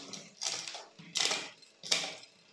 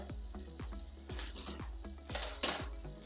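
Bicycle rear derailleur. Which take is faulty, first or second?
second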